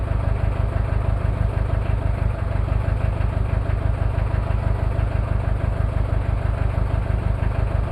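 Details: Cold start of a Toyota 2L-T diesel after piston rings were replaced without a top overhaul: heavy clatter at idle with an uneven beat, about two pulses a second. Rough idle from one bad injector, with possible cylinder head issues.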